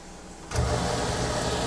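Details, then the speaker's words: Newly installed Waste King garbage disposal, after a leak test: silence, then the motor kicks on and settles into a steady, even hum with no grinding or rattle; runs fine. "Do you hear it running? It's working."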